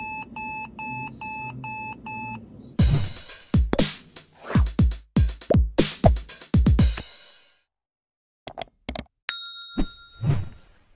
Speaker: so we just changed the mother board on this t pack and because it's new it doesn't have any serial number number that's why you will get all these Pips